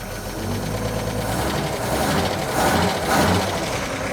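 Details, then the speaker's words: 1941 Chevy, cold, on a dirty-rebuilt Carter W-1 carburetor after error fixes; the old accelerator pump was thought shot: two throttle blips rise and fall cleanly over a lumpy, smoky idle. Pickup is snappy and much better than before. "pretty snappy."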